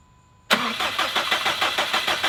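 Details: Freshly rebuilt 2017 Subaru STI on its first start with a base map; it fires briefly with an uneven chug, dies and won't run again, and fuel pressure was reading low; crank, no-start.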